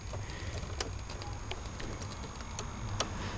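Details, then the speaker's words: Vintage TV after resealing the flyback transformer connection: irregular light ticks and crackles over a low hum, only when a connection is plugged in; stops when it is held still; possibly the speaker, source uncertain. "that noise making some sort of odd crackling noise you know you might they say life you know what that's about it's only when you plug that in"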